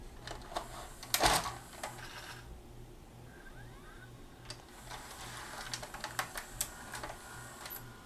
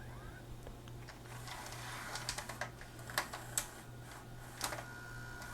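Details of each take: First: Magnavox ZV427MG9 DVD/VHS combo, VCR mode, tape loading: clicks and clatter over a steady motor drone as loading motor keeps running after loading, then shuts down; dirty mode select switch, also shorted 220µF 6.3V capstan supply capacitor. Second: Magnavox ZV427MG9 DVD/VHS player after replacing a shorted 220uF 6.3V capstan motor supply capacitor and driver transistor, third load attempt: soft hum with irregular mechanical clicks as tape threads; loads and plays normally, mode select switch still suspect.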